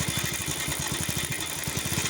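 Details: Bajaj Pulsar motorcycle idling with steady beat and loose rattly clatter on top; timing chain noise, oil pump problem suspected as cause.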